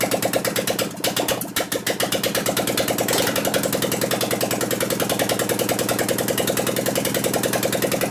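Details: 2001 Gilroy Indian Chief V-twin race bike being rebuilt, run with no exhaust pipes: rapid ticking beat with a lopsided skipping rhythm, one side not firing; suspected dead-cylinder misfire from ignition, intermittent.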